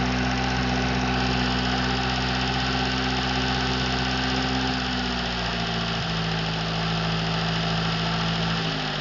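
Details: Freshly overhauled Atomic 4 inboard engine (new pistons, rings, valve springs, plugs, wires, water pump) on test stand, no choke, alternator off: smooth steady low rumble at unloaded idle, settling slightly lower, even firing; normal idle.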